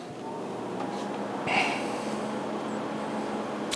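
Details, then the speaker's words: Lumenis Lighthouse CO2 laser just switched on: quiet low buzz with faint chirps and a couple of sharp clicks; normal 45-second-to-one-minute self-calibration checking output power. "going to take about 45 seconds to a minute for the laser to calibrate itself you'll hear buzzing some clicking some chirping a couple pops and a buzz"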